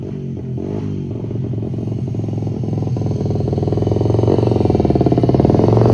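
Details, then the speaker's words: 1978 Honda XR75, not run since the late '90s, running before carb tuning with a very poor carb; small single revs unevenly with a loud, raspy, popping exhaust and ragged beat, running rough. "I'm no pro at it's pretty rough and it's pretty loud."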